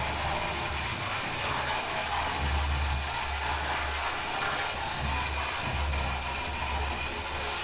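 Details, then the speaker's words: Oxford Rail Class 415 Adams Radial 4-4-2T model locomotive after servicing (greased and oiled, main gear greased, pickups adjusted); the motor runs smoothly in both directions and is much quieter at full speed. "Well, I've thrown that in both directions and seems to be running okay. Does seem to slow a little bit, you know, so but let's run it at full. And you can hear it's a lot quieter."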